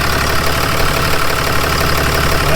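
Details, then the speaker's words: 2016 Ram 3500 6.7 diesel idling right after startup with a fast, sharp ticking knock; owner suspected the injectors. "on Startup that's another good indicator that the injectors are going out on it you can hear the ticking noise"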